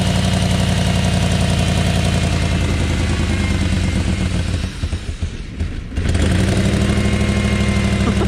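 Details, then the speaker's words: 1994 BMW 740i (E32), first start after adding fuel with the fuel pump working: very loud, raw, uneven bark with heavy low rumble and a stumble mid-rev; runs rough with the exhaust essentially missing. "that's good but oh my goodness the exhaust is essentially missing"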